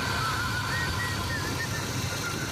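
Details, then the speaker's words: 2005 Honda Civic after replacing the failed thermostat and the fan activator switch. Once the engine reaches temperature, the cooling fans switch on automatically, with the gauge below half. Steady, even air rush with no rattle: normal fan operation. "Y aquí se tardó un poquito en coger la temperatura que tenía que agarrar, pero al final logró encender."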